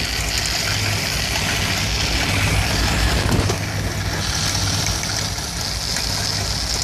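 Warm V8 idle with an uneven, loping beat and irregular stumbles instead of a steady rhythm; a rough idle, cause not evident. Cause suspected, not confirmed.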